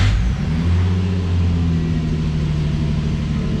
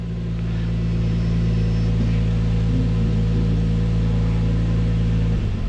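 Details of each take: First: Infiniti G35 after spark plug tune-up, cold start: loud, fast high idle with steady low hum while checking live misfire data for cylinder misfires. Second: Infiniti G35 V6 at idle during an injector balance test: steady idle turns lumpy and uneven when injector number five (the misfiring cylinder) is disabled; returns to normal when re-enabled, suggesting injector is fine and spark plug or coil suspect.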